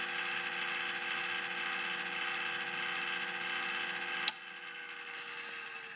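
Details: Cooler Master Elite Power supply in a file server, switched on: a steady, strained whine with several whistling tones for four seconds, then it cuts off with a click. The PSU fan is running rough; failure suspected, not confirmed.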